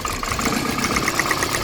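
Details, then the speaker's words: Spark audibly snapping from a lifted, working ignition coil on an idling petrol engine while hunting a misfire; quick sharp ticking about nine snaps a second, engine note changes, showing the coil is good. "Hear that sound? That's the sound of the current jumping from the K. That's a good part there."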